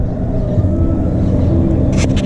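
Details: Motorcycle that had a rubbing noise on acceleration from the crankcase hitting the center stand, a terrible vibration and a badly reassembled clutch, now fixed: a steady, even engine note with no knocking or rubbing, normal running after repair.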